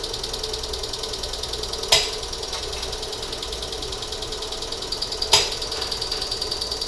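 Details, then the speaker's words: 1987 Monte Carlo SS after 20+ years sitting, open headers, gas poured in: steady fast cranking with two brief sharp catches, never runs on its own; owner suspects not enough fuel, considers plugs, wires, cap, rotor, electric pump. "well she's fired if it wants to but i think uh just not getting enough gas to it"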